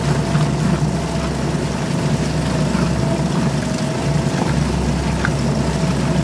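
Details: Suzuki DF2.5 2.5 HP outboard, long stored and not starting, after clearing a clogged carburetor jet with wire and air: running steadily with an even buzz and water splash, no stumbling or surging; healthy.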